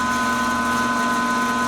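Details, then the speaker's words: Rikon 14-inch bandsaw model 10-326 with a 5/8 blade, idling unloaded: steady, even hum with a constant tone, no knocks or rubbing, quiet and smooth with only very slight vibration. "So it runs really smooth. It's not very loud, as you can hear."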